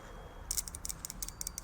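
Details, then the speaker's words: Fuel injector (5.3 injector from an old manifold) pulsed on the bench for an LS-swapped 1956 Chevy with no oil pressure, clicking normally with quick sharp ticking bursts; the other injector did nothing and is suspected clogged. "you can hear it so this one is working so that's different obviously either that injector is so bunged up it's full of crap or I don't know what"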